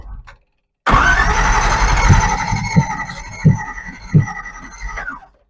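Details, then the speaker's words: Chevy small-block V8 dormant for decades, cranking with uneven catches and pops that never run; ignition timing out, and distributor bushings are worn with points not opening properly; cranks and fires but won't run. "seems like it should run I hear it firing just the timing is out now"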